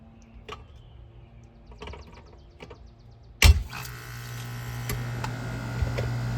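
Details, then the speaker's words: Rheem heat pump after replacing a compressor that had broken apart and the defrost control board, started after resetting a tripped breaker, charge not yet complete: quiet clicking, a thump at start, then a smooth steady hum with even fan; normal operation. "that sounds better"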